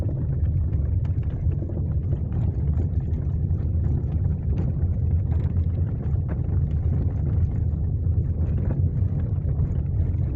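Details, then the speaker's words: Chevrolet Onix driven over bumpy cobblestone road: irregular dull, moderately quiet knocks from the rear on each bump over road drone; caused by loose rear bump stop out of place in its boot. "é um barulho chato não é muito alto não mas é chato Beleza quando você passar a na rua de calçamento aí esburacada ele bate é bem ali ó"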